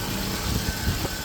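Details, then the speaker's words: 2003 Subaru Outback after AC compressor clutch bearing replacement and new belts, idling in neutral with AC off and clutch disengaged: even idle with a faint steady belt whir, no squeal, grinding or rattle; accessory drive sounds healthy. "engine off neutral break on and everything's spinning nicely and you can see the clutch is not engaged"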